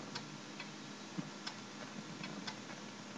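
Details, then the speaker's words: 2003 Western Digital Caviar WD800BB-75CAA0 hard drive, trash-picked, tested in a Dell Optiplex GX110 at boot: sharp dry clicks two to three times a second over a low hum, click of death; drive dead. "oh that doesn't sound good sounds like um click of death"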